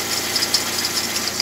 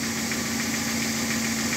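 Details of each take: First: Alternator belt squeal at idle: short high-pitched chirps every fraction of a second from the flat alternator belt; squeal stopped after spraying WD-40 onto the belt. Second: Car alternator flat belt after spraying WD-40 directly on it: steady even engine hum, squeal gone, belt now running quiet; temporary first-aid fix for belt squeal.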